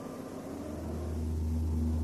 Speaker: эльба несбалансированный карданный вал также вызывает колебания при каждом своем обороте